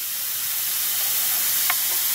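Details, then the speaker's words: Leaking fuel injector from a 1999 Nissan Maxima 3.0L, bench-tested on its rail under about 34–40 psi fuel pressure: a steady, even high hiss with no pulsing while the rail holds pressure, meaning the injector isn't sealing. Pressure regulator works. "you can hear that constant hit coming out of that injector there so that is a bad injector right there"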